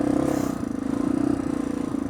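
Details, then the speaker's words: Honda 350X three-wheeler, engine never opened, on a muddy test ride: single-cylinder exhaust note under riding load with a fast light tick over it; top-end tick, cause unknown. "You can hear this thing's got a tick."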